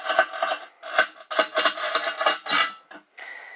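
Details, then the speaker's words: Manual tile cutter with a tungsten scoring wheel scoring bathroom floor tile: short gritty rasping strokes as the wheel bites the glaze; normal, clean scoring. "it's a tungsten blade it's underneath here and basically what it does you can hear it make a grinding noise"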